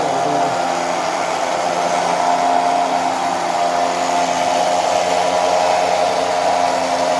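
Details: 2017 UAZ Patriot winch being revived after repair: steady, even electric motor whine holding one pitch with no clicks or stalls; the winch now pulls normally.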